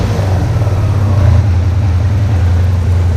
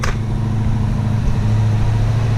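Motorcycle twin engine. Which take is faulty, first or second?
second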